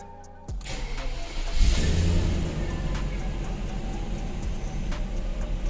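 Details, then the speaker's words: Audi A8 D2 V8, hot no-crank fixed with a new wire from the relay box to the starter motor: quick crank, catches at once and settles to a steady, even idle; warm start now normal. "ENGINE WARM START WORKS ALL FINE"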